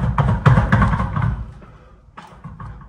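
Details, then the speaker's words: Old water heater tank, drained, being shaken during replacement: heavy dull clunks tumbling about four times a second then fading; loose limescale blocks rattling and falling to the bottom, sand-like scale seen in drained water. "Ah. On entend des blocs qui tombent. Il y a carrément des blocs de calcaire qui tombent au fond."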